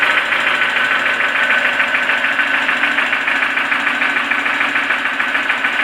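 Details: Toyota 4E-FE engine that has suddenly started knocking: regular sharp tapping over a hollow idle, about two knocks a second and in time with the engine; the owner asks what the cause could be, and the source is undetermined.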